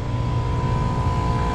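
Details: Packaged water source heat pump, the companion unit (one is R410A, one R22) left running while the other's bad Copeland compressor trips the breaker: steady low hum with a constant mid-pitched tone, no knocking, rattling or stuttering; running normally.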